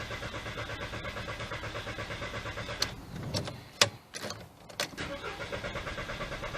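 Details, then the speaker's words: 2003 VW Beetle 1.6 with the fuel pump's 15 A fuse pulled to depressurize fuel before a timing belt change: steady rhythmic cranking about once a second with a few clunks, never catches; no fuel supply. "There we go, still straight away, that's the one. There we go, no longer starting."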